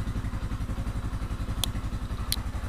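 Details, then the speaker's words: Used Yamaha Scorpio motorcycle checked as a custom build base, started on the electric starter: steady even single-cylinder thump about eleven beats a second, no knocks or rattles; healthy idle, only minor valve adjustment needed. "starter kita coba di sini orangnya masih bagus si Oke gak ada masalah"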